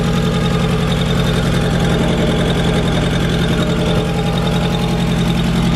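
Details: MK1 Golf 1.8T AWD project car, first start after refuelling, still in warm-up phase at idle: loud, rapid puffing tick three or four a second drowning out the engine, which otherwise runs pretty good; a really big exhaust leak.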